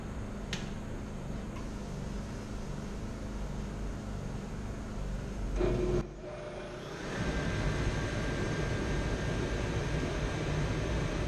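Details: Dyna-Glo Pro 135,000 BTU forced air heater fired up after cleaning, combustion chamber removed, air pump pressure spec 5.5 psi; steady low roar of fan and flame dips briefly, then settles to an even, smooth run, firing normally.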